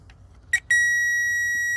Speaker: It shows you power and ground, and you can switch it with just the flick of this button. But that sound means ground. That sound means power.